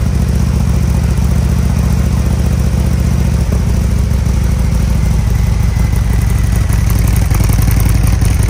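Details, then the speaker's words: 2020 Harley-Davidson Road Glide Special with fresh 128" big bore kit, first start after oil priming, before dyno tune: deep, heavy loping V-twin idle, steady beat, no ticks or knocks, some smoke; normal idle. "hey it's smoking wow yeah it definitely has a deeper sound oh yeah but obviously it's going to sound totally different once you tune it right"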